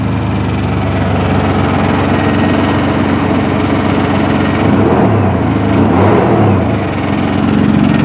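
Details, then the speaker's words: Chevy Blazer ZR2 idling steadily and evenly with no misses after fuel pump repair (tank dropped, cheap fuel pump checked) following about a year stranded with no fuel reaching the engine; normal idle. "oh yeah that's right she is running again it's only about a year she's running good too oh it's so good to see you turning over again"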